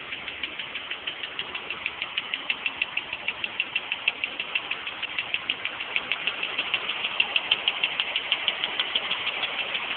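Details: 1989 BMW E34 with M20B20 petrol engine at cold-start idle: loud, sharp, steady ticking of about three clicks a second over the engine, heard when the engine is cold.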